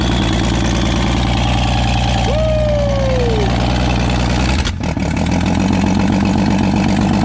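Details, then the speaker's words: Old fleet car fired up after fitting a new starter (battery or starter had been dragging). Engine settles into a steady, even idle with a smooth low rumble and no misses or knocks. Normal idle, good running. "Yep, there she is. So decent running, good running rig."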